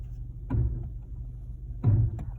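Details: 2016 Chevy Malibu: two dull thumps about 1.5 s apart over a low rolling rumble while braking at low speed; intermittent knocking/scraping, cause unknown.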